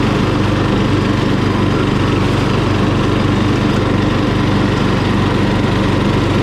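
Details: Murray small engine after carburetor cleaning, run with a jumper-cable battery: steady, even buzzing beat at constant speed with no misses or surging; runs cleanly and sounds healthy.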